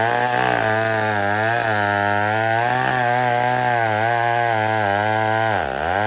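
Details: Old McCulloch 1-71 chainsaw after a major carb upgrade: carb rebuilt, leaking gas line zip-tied, intake leak fixed with a double gasket. Steady two-stroke buzz rising and falling cleanly with each blip, no bogging or sputter. Normal running.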